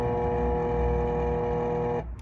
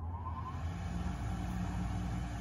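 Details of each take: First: RadonAway GP501 radon fan, installed 2005, in an attic: loud steady electrical buzz with no airflow because the bearings have seized. The impeller doesn't spin, so there's no suction; replacement is needed. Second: RadonAway GP501 radon fan, working unit: steady low whooshing hum with even airflow rush, normal running; contrast to same model from 2005 whose seized bearings caused loud buzzing.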